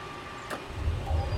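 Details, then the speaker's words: Hayward pool heater relighting after pre-purge once the gas is restored, following a simulated flame loss: a single sharp click, then a soft low rumble builds and holds steady as the burner lights; normal ignition. "There goes our pre-purge. And it should come right back on."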